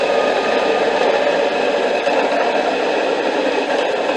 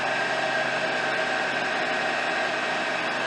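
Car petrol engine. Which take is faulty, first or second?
first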